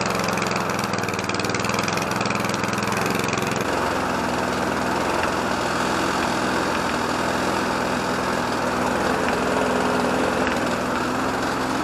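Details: Petrol lawn mower (Briggs & Stratton or Mountfield HP454 pair), not started for over a year, running after fuelling: steady, even, rapid single-cylinder beat with no knocks or misses; sounds healthy.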